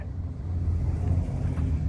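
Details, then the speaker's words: 2002 Chevy Silverado not starting: starter spins fast and even with no compression pulses and never fires; crank-no-start, no compression, timing chain suspected to have jumped, not confirmed. "And no compression. Nada. Alright, good. So next steps to go is to disassemble the whole thing and make sure the timing chain didn't jump, which in this case to me sounds like it."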